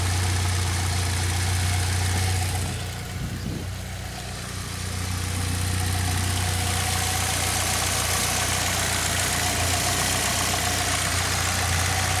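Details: 2006 Saab 9-3 2.0T, 189,000 miles, idling after valve cover gasket replacement, before oil change; steady low idle hum with even pulse around two hundred per minute, no knocks or ticks; normal idle.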